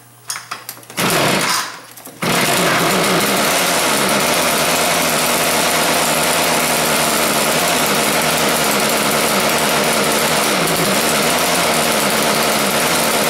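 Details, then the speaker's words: Schwinn Stingray motorized bike small two-stroke, cold start after carburetor cleaning, gas from rigged plastic tank: after false catches it buzzes on its own, slightly uneven; runs but needs carburetor adjustment. "sounds like it needs a little bit of a carburetor adjustment there give it a try"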